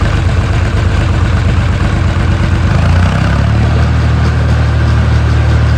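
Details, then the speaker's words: Diesel with a small Chinese injection pump, after long storage: low, heavy, uneven beat rough at low rpm before steadying; owner believes one injector isn't spraying enough fuel, with higher throttle masking it; new injectors are needed. "you can hear, I don't know if you'll be able to hear in the video, but at low RPM it runs really rough, which basically just tells me that the injectors aren't spraying enough fuel."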